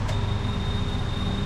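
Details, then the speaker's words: Fuel pump from a barn-find Mazda Miata that sat four years on ethanol gas, tested on the bench: steady hum with a thin high whine that sounds lazy; the pump is weak, with an inlet sock growing barnacles. "oh yeah she's she's weak oh man now that is nice growing barnacles yeah now I wonder why that didn't work it's a ethanol gas sitting for four years"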